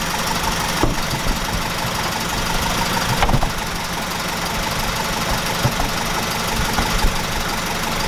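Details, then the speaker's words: 1969 Ford Capri Pinto engine at idle after renewing camshaft finger followers: even, steady, silky-smooth hum with no top-end ticking, only faint background rumble; valvetrain now quiet and healthy. "I guess that's what a pinto is supposed to sound like. Wow. Let's do that again. Wow. I'm well chuffed about this guys. This sounds silky smooth."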